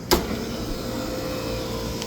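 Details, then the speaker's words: Remote walk-in cooler condensing unit, R-404A, switched back on after the cooler went down with a 55° high-temp alarm: sharp clack at switch-on, then steady motor hum as both condenser fans cycle on; normal start-up. "Both condenser fan motors are fan cycling. So, now they turned on."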